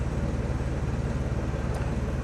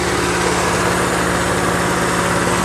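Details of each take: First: 1992 Geo Metro XFi, retrofitted with AC from a 1995 Metro plus a new compressor, condenser and dryer, holds a smooth, even low idle with no vibration while the compressor runs, controlled by a new AC delay board that raises idle first. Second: 1992 Geo Metro XFi with retrofitted AC: loud, steady hiss over an even idle as the idle-up valve opens with the compressor, air drawn through the air cleaner into the intake; sounds like a vacuum leak but isn't.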